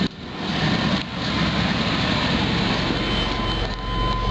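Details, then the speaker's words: Safari van idling smoothly right after a fuel pump replacement. The new pump is so quiet it can't be heard, whereas the failed old pump was very loud. Steady even rumble with no pump whine or buzz; normal idle. "I don't even hear the fuel pump holy that's quiet that's nice the other one was sounded like a tank it was so loud"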